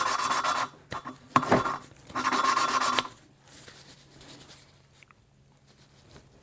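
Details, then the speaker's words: Small-block Chevy cylinder head, hand-lapping a valve with grinding compound and a suction-cup tool, lift-and-twist strokes: gritty back-and-forth rasping that fades and softens as the compound cuts and the seat beds in. "You just squeeze it on there, let the suction, and just twist. You hear that sound? So you want to lift and twist."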